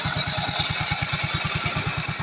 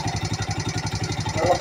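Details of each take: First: Yamaha Mio Sporty scooter after the starter bendix (one-way clutch) repair: even putter with a steady light whistle and no judder. The earlier dragging is gone and it runs smoothly. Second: Yamaha Mio Sporty scooter idling with a quick, even tick on every beat. The starter bendix is loose and rattling, its spring slack and the one-way clutch bearing fallen out; the engine was also hard to start.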